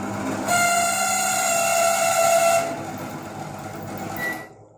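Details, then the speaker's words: LG microwave heating a cup of water: hum, then a loud shrill whistle with several steady high tones at start-up, caused by the cooling fan; heating works fine; fix is lubricating or replacing the fan. "طبعا سمعنا الصوت صوت عالي جدا وحتى لو اوطى من كده التسخين هيكون شغال معاك"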